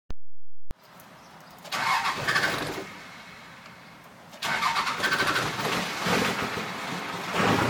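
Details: Cummins 12-valve diesel cranking after running out of fuel; starter churns in long bursts with a few half catches, not firing cleanly; hard start, long cranking.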